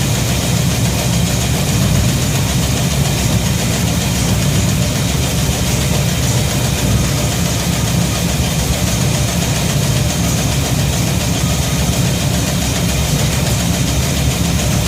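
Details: Shop truck idles steady and even with no knocks or misses after a fuel system overhaul (fuel pump, regulator, filters, intake gasket, carb spacer; 3.5 psi fuel pressure); no gas or water leaks, and it runs pretty good.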